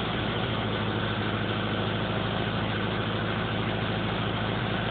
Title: Sr20 weird idle/misfires